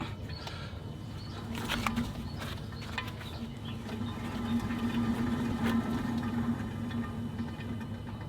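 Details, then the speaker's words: BMW E93 (E90 series) with intermittent buzz or vibration at 40-60 mph, front hub spun by hand with the wheel removed: low, gritty droning hum swelling as it turns, diagnosed as a worn wheel bearing. "hi guys so you heard that one and i think we found it we found the culprit the thing's gonna be that wheel bearing"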